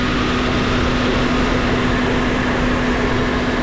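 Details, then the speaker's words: Vehicle at 104,220 miles after retightening drive belt and loose bottom bolt for a cold-start squeal: steady, even idle with no chirp or squeal yet; normal idle. "running through all the pulleys looks great i think this is uh going to work out okay"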